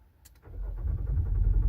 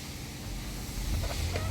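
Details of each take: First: 2024 Nissan Pathfinder R53 crank-no-start: starter turns the engine over with a rising churn but never catches. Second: 2024 Nissan Pathfinder R53 that cranked but would not start: after the fuel pump control module (FPCM) fault was dealt with and the fuel lines refitted, with the air duct still off, the engine starts and settles into a steady low idle with no misses or knocks.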